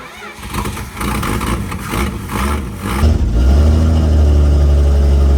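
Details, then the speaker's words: 1964 Dodge D100 truck, sitting since 1996, running off gas poured into the carburetor, accelerator pump not working: ragged sputtering for a few seconds, then a loud steady low rumble; runs only on primed fuel. "We've tried pouring gas down that carburetor again and again, and this is one of the worst ones that we've seen that still runs."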